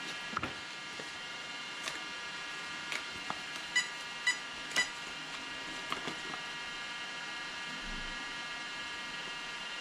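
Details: Arrma Kraton 8S ESC: three short high beeps repeating in a quiet room, the sensor loss warning per the chart; the owner suspects the 2028 motor came apart inside, with power loss in first.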